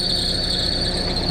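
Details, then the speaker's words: Perodua Myvi, air-con on, bonnet open: high thin mouse-like chirp held steady over low idle rumble; accessory belt slipping, squeal intermittent, before belt dressing spray. "Ini adalah nampak bunyi kuat. Eh ah tak nak buat nak berhenti. Kadang-kadang dia bunyi, kadang-kadang dia tak bunyi."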